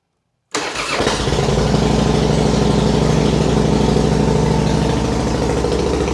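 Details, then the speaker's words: Harley-Davidson Fatboy after crash repair, fuel lines reconnected, first start without enrichment: fires straight up into strong steady lumpy V-twin idle, no misses; normal start and idle, compression seems high. "Oh yeah. There it is. It's back. Yeah, that sounds great."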